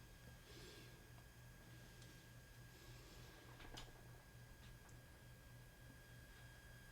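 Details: Aiyima A07 amplifier on an Aiyima 48 V 5.2 A power supply, volume turned up to 75–100% with no music playing. A steady thin whine near 1600 Hz over a low hum; noise from the power supply.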